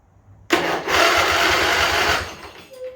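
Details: Craftsman riding mower, Briggs and Stratton twin-cylinder, sat in a barn for years with a dead battery: cranks steadily under two seconds with a rough churn, never catches. Cranking but no start; the fuel system likely needed priming, and it later started with brake cleaner.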